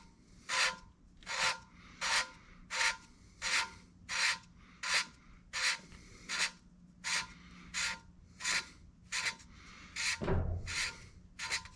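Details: 454 big block head, valve hand-lapped with fresh compound: regular gritty rasping strokes about every 0.7 s, expected to smooth out as lapping continues; coarse grit.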